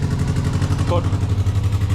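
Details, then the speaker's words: Classic Mini engine, cold, revved to warm up while checking for fan and heater-matrix hose leaks, heard near exhaust: lumpy, stumbling, surging, very loud with little smoke; owner suspects timing and carburetor settings, needs new exhaust. "but there's not much smoke at all it's um it sounds very rough um"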